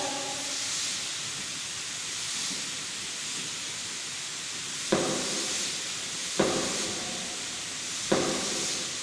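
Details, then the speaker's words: Single-acting pneumatic cylinder in a lab practical circuit cycling back and forth: constant air hiss with a sharp exhaust puff every second or two as the valve shifts. The double-acting circuit is blocked, but single-acting cycling is normal. "तो ये sliding motion चल रहा है single acting का।"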